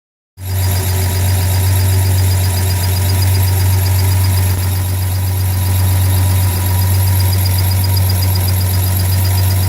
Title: Ford 300 chirp sound. Came back.